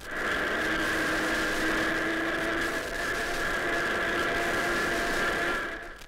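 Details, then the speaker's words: Car on the move: steady high-pitched gear whine from a badly worn first gear, heard best while accelerating. "that's a badly worn first gear that can be heard best as you accelerate back to the engine now"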